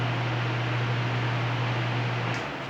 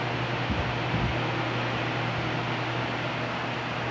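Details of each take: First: Arno Silence Force 40 cm fan fitted with an incompatible universal oscillation gearbox: a constant low hum with a rough noisy whir, and the fan does not oscillate. Gearbox noise. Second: Arno Silence Force 40cm fan running with its own oscillation set fitted: constant low fan hum and airy rush, no clicking or grinding from the oscillation drive; runs quietly and normally.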